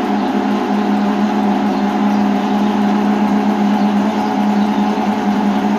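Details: Electrolux LTC10 washer making loud steady buzzing hum when it starts draining and spinning; drain pump is the damaged part, replaced with universal pump.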